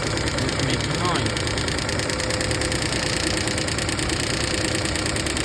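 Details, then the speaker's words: 2013 VW Jetta 2.0L at idle, AC on, radiator fan at full speed: fast regular ticking over loud fan rush, fan wobbling; noise stops when the fan switches off; cooling fan wobble. "so now I'm turning on AC and let's see the fan is turning on. See, it is also wobbling. Now it's on a full speed."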